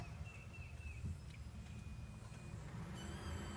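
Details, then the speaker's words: 2006 Subaru Forester XT, in-trunk fuel pump just replaced after no-start; after reconnecting the relay and priming, a thin high squeak rises over a low hum as the pump primes; the fuel pump squeaks again. "Interesting. We have squeak. We have a squeaky fuel pump again."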